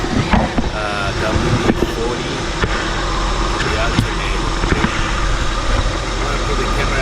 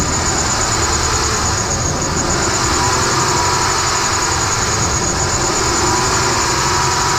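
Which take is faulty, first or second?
second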